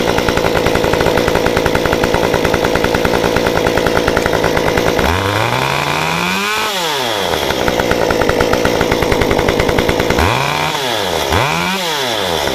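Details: Stihl 193T climbing saw with limiters removed, muffler mod, timing advance, 93 non-ethanol fuel, restarted hot after 20 minutes shut down: steady buzzing idle, snaps cleanly to full revs and back twice; running healthy.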